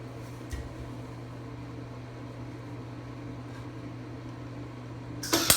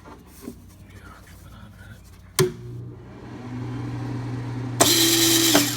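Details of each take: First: Craftsman 196.205690 welder: steady low electrical buzz through the pass without the usual bacon-frying crackle; arc not getting hot enough, poor penetration, cause unknown. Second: Craftsman 196.205690 welder: a steady low hum, then two loud whirring runs of the wire feed drive motor; it is loud but pulls wire fine, which is judged normal.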